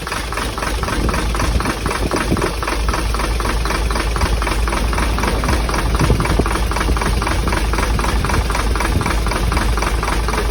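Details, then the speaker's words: Hino J08C diesel truck engine, believed overheated, started roadside after oil was poured into the intake: rough uneven knocking about twice a second over a laboring idle, heavy blow-by and back compression; piston damage suspected, not confirmed. "Engine को हमने बंद कर दिया है क्योंकि बहुत ज़्यादा engine blow मार रहा था, बहुत ज़्यादा बैक कंप्रेशन था और इंजन की आवाज़ भी चेंज हो गई थी।"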